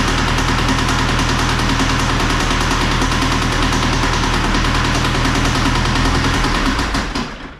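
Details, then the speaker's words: Second-hand diesel engine in John Deere 2140 tractor running: loud clatter with a hard, fairly regular knock about 200 a minute; big end bearing failed, connecting rod thrown through the cylinder block. "What's that? You just thrown a roll. Holy moly! Whoops. That would have been alright. That's why you're knocking."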